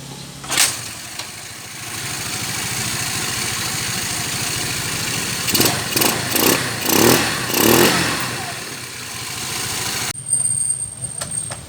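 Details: GY6-type scooter after liquid gasket maker on the intake manifold was replaced by a DIY folder gasket, which fixed hard starting: starts and settles into a steady, even putter with a few throttle blips; healthy idle.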